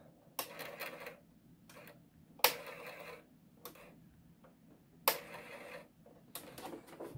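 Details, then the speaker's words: Commodore 1570 disk drive at power-on, activity light coming on then off: irregular harsh rasping bursts about a second each over a quiet room. Grinding noise, cause not yet found. "what i'm hearing is a great grinding noise to try and lift that up for you"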